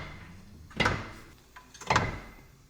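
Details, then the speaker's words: BMW E46 drift wagon: two hard single clunks about a second apart as the steering wheel turns under light effort; no play in control arm bushing, owner suspects the steering rack, not confirmed. "holy [ __ ] was that the noise that was that my rack holy [ __ ] that does not sound good I'm not even pushing that hard and it just sounds like a really hard clunk what is that"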